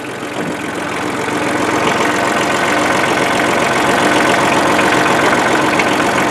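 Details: 1994 Ford/New Holland 1715 compact diesel tractor after replacing a rusted, stuck clutch: steady, even idle with a regular firing beat, no knocks; runs healthy.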